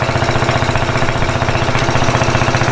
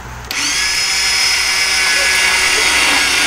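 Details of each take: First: 50cc Japanese quad that sat for years, after carburetor cleaning, started with a drill due to failed starter clutch: small single-cylinder engine running at quick even beat with no misses or knocks; runs healthy, a little sluggish under two riders. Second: Japanese 50cc quad that sat unused for years, cranked while checking for spark: high, steady whirring whine with no engine turnover, then winding down. The starter spins freely without engaging.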